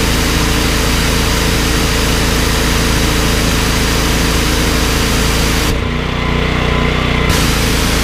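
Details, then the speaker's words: Briggs & Stratton XR2100 14 hp engine driving a 21-litre pressure washer pump: a steady, even drone that dips only slightly when the trigger is pulled, then holds speed without stalling. Starts easily; normal running under load, unlike the Honda GX390. "I think that speaks for itself you could hear ie how easy the engine was to start and you can you see on the pressure gears out it's certainly not dying when you pull the trigger"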